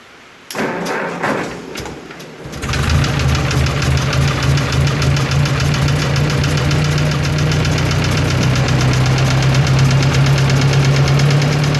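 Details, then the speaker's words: 1954 Ford NAA tractor, original six-volt positive-ground system, not started in a while: after cranking it idles with a sharp regular tick about four per second that rises and falls with rpm; owner suspects lifter tick. "you can hear the tick increase as i add more rp ons and decrease as i take them away"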